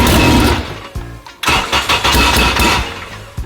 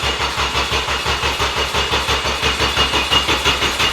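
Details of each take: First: 2000 Honda Civic Si, bought abandoned, starting after a blown coil fuse was replaced and fuel components changed; cranks briefly, then fires cleanly and revs strongly with no misfire; normal start. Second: Abandoned Honda rebuilt and freshly filled with oil: starter cranks evenly about three turns a second but never fires; ECU loses power and sees no rpm while cranking.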